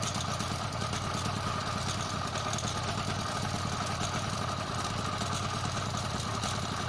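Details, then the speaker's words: Motorized bicycle two-stroke at steady revs: constant clattering from the wildly wobbling chain; after two days of diagnosis, with sprocket alignment and pinion checked OK, the cause was the bad stock chain that came with the engine. "Spending 2 days trying to diagnose and find out why this chain wobbling so crazy and it's so noisy. And finally I just found out."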